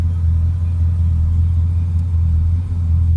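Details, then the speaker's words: 1981 Chevrolet El Camino SS Tribute, era-correct 1981 350 Chevy V8 with 4-speed manual; deep, smooth, even idle rumble with no ticks or uneven beats, starts easily, normal idle. "Nice running, nice sounding car. Starts easily."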